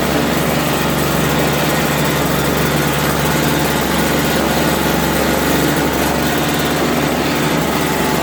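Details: Toro 16-inch snowblower, 3.25 hp two-stroke, after carburetor cleaning: small two-stroke buzzes at a steady even high speed with no misses or surging; normal running.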